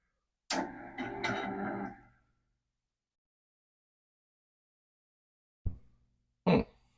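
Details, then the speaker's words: MSD SD-2 disk drive, caseless, fuse apparently bypassed, unused for an unknown time, first power-on: a short whirring clatter then two single clicks, with no head banging; a normal power-on self-test. "it makes the usual noise that you showed it never did the head banging it never did"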